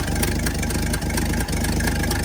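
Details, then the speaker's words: 1964 Chevrolet C60 grain truck, inline 292 six, idling before the drive home: steady low idle with an occasional stumble where a beat drops out; slight misfire at idle, owner hopes it clears by home. "Got a little miss. I can very easily come out of it though by the time we get home. A little miss there. But it doesn't sound too bad."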